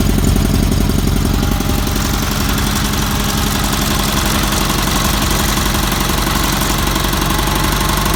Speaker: you can hear the valves ticking they all do that that's because they had salt lifter cams and you have to leave the flat tap it's open a little bit so they all clatter a little bit